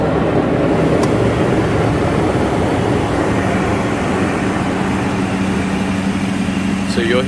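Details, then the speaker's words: Lexus LX470 V8 cold start: idle under a loud, steady whirring drone with low hum from the secondary air injection pump running during warm-up, then shutting off; no exhaust manifold tick. "hear the secondary air injection shut off here in just a second there it goes"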